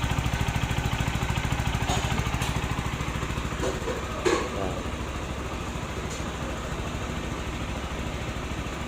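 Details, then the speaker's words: Rouser NS160 single-cylinder after new timing chain, guide and roller fitted: steady even idle about 160 beats a minute, no cam chain rattle or chatter; former rough noise gone, runs healthy. "Nawala yung magaspang yung natunog doon sa may timing chain. So dahil bago na yung timing chain niya, bago yung guide, roller"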